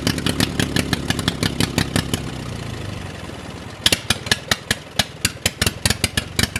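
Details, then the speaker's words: Drag race lawnmower on its first start in a long time: it pops along steadily, then falters into sparse firing. It runs only on choke, and the owner suspects the fuel filter, unconfirmed. "whoa all right she runs on choke only all right guys so you just saw she fired the first time she does not run without the choke on so that's something i'm gonna have to fine tune"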